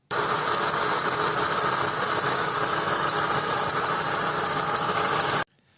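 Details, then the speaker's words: VW T4, car raised, no underbody guard: steady high whistle over the running engine from worn idler and tensioner pulley bearings; belt removed to free the rollers. "так вот вот посвистывают ролики промежуточные и натяжителя"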